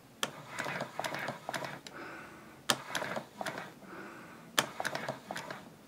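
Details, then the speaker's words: Player piano air motor that sat in the same position for years under steady suction: soft, uneven ticking that speeds up and drags; loping (fly-back) because its cloth has taken a set. "you can see that it's not turning evenly and even though I'm sucking very evenly in fact you can even hear it oh so that's what happens when you don't use your player piano often enough"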